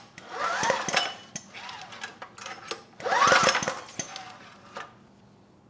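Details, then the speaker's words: Generac GP5500 generator rebuilt after earlier engine damage, spark plug removed so there is no compression. Two recoil pulls spin the engine freely with a light whir, no scraping between rotor and stator and no binding; normal free rotation. "just listen carefully when pulling the engine over make sure you don't hear any scraping between the rotor and stator or even work any binding the engine should pull over nice and easy with no compression since that spark plug is"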